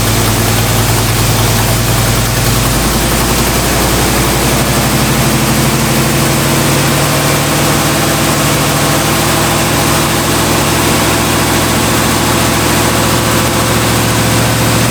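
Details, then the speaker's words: 1965 Cadillac with new Holley-type carburetor, choke off, warm: idles steadily far too high even for fast idle, loud fan hiss over it; fast idle screw to be backed off, possible vacuum leak suspected. "Okay, so that's still idling way too high even for the fast idle, so I'm going to, and the choke's off, so I'm gonna back off the fast idle screw and see if that changes anything"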